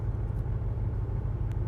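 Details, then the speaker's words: Range Rover V8 idling on LPG after switching over from petrol: deep rumble with an uneven, lumpy beat. Cylinders one and three misfired and cylinder eight misfires continuously, then four as well; the owner suspects a lead may not be on properly. "cylinder eight is continuously misfiring right there I think is our first problem cylinder number eight is not happy"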